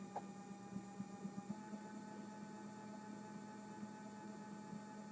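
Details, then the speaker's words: Stepper motor at velocity about 1800, mounted on a large wooden board that resonates: quiet steady whine near 200 Hz with a faint higher tone and light ticks; runs smoothly, still very silent compared to a servo. "still, so if you consider that the stepper motor is on this large wooden surface that works as a resonator to the noise, to the vibration, it is still, compared to a servo, very silent."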